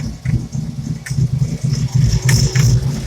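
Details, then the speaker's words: Ford SVO 351 small-block V8 swapped into an SN95 Mustang, old muffler, recent head gasket job: idle with loose, uneven low thumping and light knocks from the worn alternator mounting; also a suspected vacuum leak at the rear of the lower intake and a misfire. "you might hear a little knocking on the alternator i still have the old muffler on the exhaust today"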